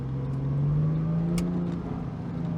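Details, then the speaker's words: 2002 Porsche 911 C4S (996) under acceleration: engine note climbs smoothly and keeps rising as the car pulls, clean and even with no rattles or misfire; healthy, strong engine. "You can hear it. It screams. Oh, it gets going. Good? Yeah, like a smooth roller coaster."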